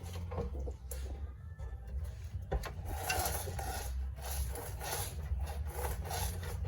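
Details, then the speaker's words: Ford Falcon/Fairmont Ghia rear suspension with newly installed shocks: dry raspy creak each time body is pushed down and rises, near coil spring; bump stop found completely disintegrated, suspected cause, unconfirmed. "So we got some creaking happening again, and the bump stop there is completely just gone."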